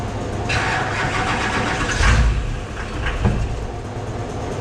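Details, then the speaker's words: Airport limo first start after front clip paint, only lift pump rewired, ran before: engine catches briefly then dies on each try; starts then immediately dies, owner suspects anti-theft, unconfirmed. "Sounds like it's starting, right? And then it's immediately shutting it off. Yeah. To me, that sounds like anti-theft."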